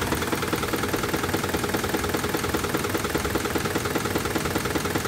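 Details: 2006 Jeep Grand Cherokee at idle with codes C0700, P0307 and P2097: a sharp, fairly even tapping about two and a half per second over the engine; knock of unknown cause.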